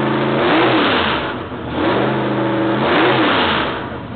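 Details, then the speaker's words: Rebuilt L88 427 Chevy big-block V8 with hydraulic roller cam, headers open, before install in Chevy II: two blips from lumpy idle, clean rise and fall with crisp loud open-header bark; sounds like 35-40 years ago, normal revving. "okay there you have it it sounds just like it did 35 40 years ago"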